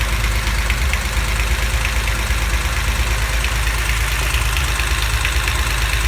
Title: Knocking noise cylinder 5